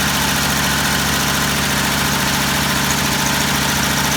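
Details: Old carbureted truck engine at first start after priming the carburetor, running on choke: steady even rumble with a fast regular pulse, no knocks or misses, a normal idle.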